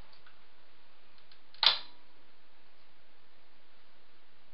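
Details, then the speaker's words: Series-wound brushed DC motor with Kelly KDZ48400 controller, switching on: one crisp click of main contactor pulling in, green light on, then faint hiss; normal contactor click at power-up. "heard the click from the main contactor. Green light's on here."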